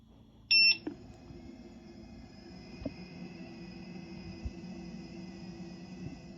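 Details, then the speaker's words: EX30 electric unicycle after a firmware update that fixes oscillation but removes wheel beeps: power-on beep, then a thin, steady high whine at idle with the wheel still; previously quiet: loud motor idle whine caused by the new firmware. "You now lose your wheel beeps, and it now has a really loud idle sound."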